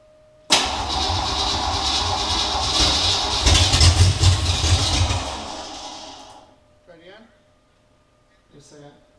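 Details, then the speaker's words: Ranger with rebuilt engine on first start with open headers: catches at once into loud raw rumble, runs steadily; over 75 psi oil pressure, owner unsure about possible slight lifter noise. "75 psi of oil pressure that sounds pretty good still sounds like a little lifter noise but i don't know if i'm just hearing things or if that's legit or not"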